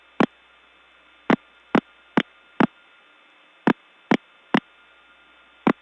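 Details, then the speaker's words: Early-1979 Gainesville, GA step tandem mapping, test code 106: irregular sharp clicks about twice a second over a faint steady tone; unidentified, broken, annoying and very hard to get off of. "I'm actually not sure what this is but it certainly is something that's broken not only broken but annoying very hard to get off of"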